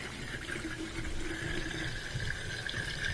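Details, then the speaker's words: Miele dishwasher that would not drain, drain light flashing, water left in the bottom; after clearing a clogged air gap (fish bone and debris in the blue tube): steady pump hum with water gurgling and rushing out. Normal draining after repair. "and now I can hear it draining and I can see it draining. So that was the reason the dishwasher was not draining, is that it had a clogged air gap."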